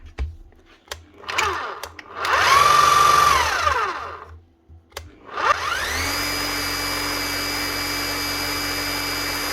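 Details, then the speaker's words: Bosch GBH 8-45 D rotary hammer after repair with a new eccentric gear, O-rings and grease: motor spins up to a steady high whine with an even hammering rattle underneath, no grinding; running smoothly. "right that's not sounding too bad at all [Music] nice one she's running smooth doesn't sound bad at all"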